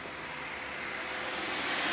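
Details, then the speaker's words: Camaro with LS engine, cooling fan wired to a toggle switch: smooth even rushing airflow swelling slightly with no ticks or rattles; fan running normally. "now we got the fan zooming, and it does a pretty good job."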